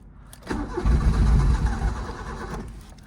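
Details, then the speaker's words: 1986 Suzuki Mighty Boy on a booster, battery reading 12.5 V: about two seconds of low churning cranking that never fires. Owner doesn't think it's the battery; hard-start cause unknown. "I don't think it's a battery but you know what let me put the booster on there all right so it's reading 12.5 I don't think my battery's dead it's just 1986 problems I guess except the cooling"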